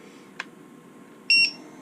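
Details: Quadcopter with KISS ESCs flashed to 1.2x, connected to the GUI, being armed at 1000 throttle: sharp tick, then a short high two-tone arming beep, faint motor idle hum.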